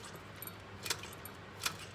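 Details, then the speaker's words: A Honda CT110 postie bike engine is turned over by hand and gives sharp metallic clacks. The cam chain is bouncing around because it is worn and stretched, with its adjuster already at full adjustment. "that is the cam chain bouncing around um it's worn out basically it's stretched it's at full adjustment and um it's stretched"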